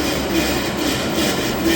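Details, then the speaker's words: Schindler TXR5 elevator machine room, 2014 install, with heavy rope rouge contamination: a steady rushing roar with faint rhythmic pulsing and ropes fluttering; uneven rope tension suspected, governor noise to be investigated further. "That's really making some kind of strange sound. I don’t know if the camera will show it. But the cable closest to us. Yeah, maybe the second and last cable closest to us. Those really have a lot of flutter to it."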